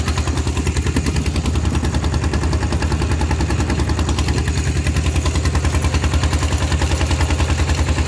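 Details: Thai tractor with iron wheels ploughing a rice paddy, fitted with a trial replacement exhaust pipe; hard, regular exhaust thumps about two to three a second under ploughing load: the replacement pipe is simply very loud.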